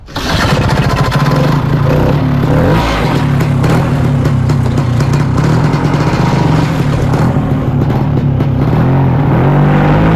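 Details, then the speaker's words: Original 55-year-old 1969 Ski-Doo Olympic 320 two-stroke snowmobile on a temporary auxiliary gas tank, started out on snow: fires right up and settles into a steady even drone with no misses or knocks; normal start and run. "not bad for a 55y old sweat that's original so Mak it feel pretty good"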